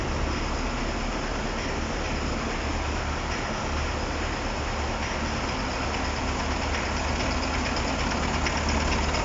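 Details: First start of a KamAZ-6520 chassis truck diesel after a major overhaul (capital rebuild): steady, even idle with a smooth low rumble, no knocks or misses; engine sounds healthy and settled.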